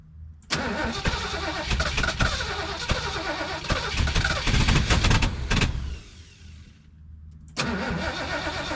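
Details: 1973 Mercury Grand Marquis Brougham, 429 Ford V8 with C6 transmission, 55k original miles, sat for an unknown time, fed from a boat tank after a fuel filter change and priming: the starter grinds in uneven bursts but the engine never catches, a no-start.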